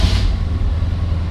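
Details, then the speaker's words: 1968 Ford Torino GT convertible 390 V8, started after pumping gas: starts right up, deep even rumble with steady exhaust pulses, no tapping or misfire; oil pressure and alternator lights go out. "know does start right up real nice you can see the oil pressure and the alternator light came out"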